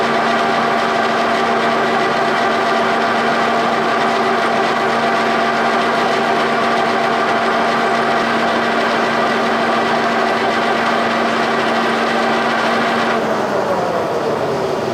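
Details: Milling machine spindle after being checked for under half a thousandth of play with a breaker bar, with earlier suspected bearing and run-out trouble: smooth, even hum with steady pitch, no knocks or rumble, clean spin-down; spindle running true.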